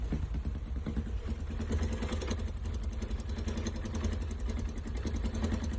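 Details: Engine at 47,346 km after a worn tensioner spring was replaced with a new one; fast light clatter over steady idle, source unconfirmed, owner plans to recheck the tensioner. Abnormal engine noise.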